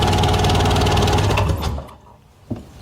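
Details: 1998 Sea-Doo, cranks over and over but won't start; good compression and spark confirmed, owner suspects fuel lines, fuel selector, filter or dirty carburetor; fast even cranking for about a second and a half with no firing.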